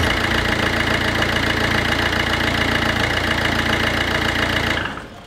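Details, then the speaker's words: Citroën C2 modern diesel at cold idle, fresh oil just added with an empty oil filter, in winter. Fast, even clatter of about three to four knocks a second, then shut off; normal cold diesel idle, quieter once warm. "C'est vraiment pas terrible comme bruit. Bon, enfin après quand ça chauffe, ça fait beaucoup moins de bruit. C'est un diesel moderne."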